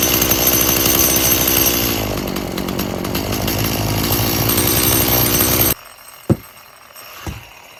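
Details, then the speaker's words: About 19-year-old boggy Stihl MS170 chainsaw that needs a lot of fuel: runs rough with a raw, buzzy pitch, then cuts dead almost instantly when sprayed, showing an air leak; the carburetor is believed good. "right, so we obviously got a air leak. Well, as you see that last time, I choked it right out with a quick spray. So, pretty sure the carburetor is good."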